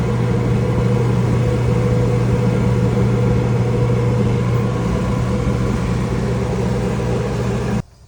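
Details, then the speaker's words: Flood-damaged Kenmore/Whirlpool dryer drive motor, drum removed, held back by hand to test strength: steady low hum sagging slightly under added load, keeps turning without stalling, motor warm not hot; earlier overheating suspected; electric motor running under load. "Motor is definitely warm, not hot, totally normal feeling. I was holding it back and it turned no problem."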